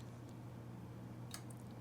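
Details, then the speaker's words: Dabbsson 2000L portable power station: single crisp click over steady low hum as AC output is switched on, display showing 60 Hz and AC plug symbol; normal inverter relay engaging. "And you can hear it click on, and it does show 60 hertz and a little AC plug right there."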